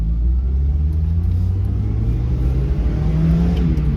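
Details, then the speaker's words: NA Mazda Miata after adjusting ignition timing, driving in first into second gear at low speed: deep rumble climbs evenly under light throttle without hesitation or bucking; acceleration smooth and linear. "acceleration is nice and linear"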